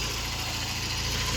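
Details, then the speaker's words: 1993 BMW E36 sedan, 1.6 chain-driven petrol engine, fully rebuilt, cast-iron block, 1.8 IS intake, cooling system redone, no leaks: steady, even idle with smooth low rumble, no knocks or ticks; normal healthy idle. "L-am pornit să-l auziți cât de bine se aude. N-are pic de scurgeri, a fost rezolvat în mare parte tot."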